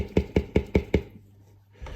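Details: Tesla Model S with an Arnott AS-3380 air suspension strut, replacement only four weeks old: five sharp, hollow knocks at about five per second, then quiet; air suspension strut clattering.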